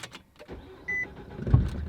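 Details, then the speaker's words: Tennessee-built Nissan Altima on startup: one dull low thud as the engine catches, then the idle settles. It is suspected to mean the transmission and/or motor mounts are going bad; this is not confirmed. "you're that clunk okay the cloak means transmission and or motor mounts are going bad"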